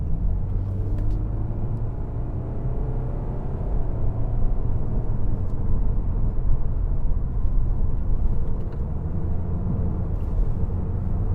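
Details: 2013 BMW 520d diesel, about 240,000 km, accelerating with auto start-stop off: deep, even rumble rising smoothly under throttle, no knocks or rattles; healthy pull.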